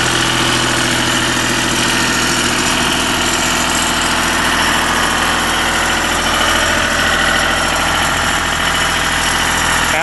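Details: Deutz diesel engine driving a Lima generator, first start-up after repair, at about 1,850 rpm: steady even clatter at constant speed with no misses or knocks. Normal running.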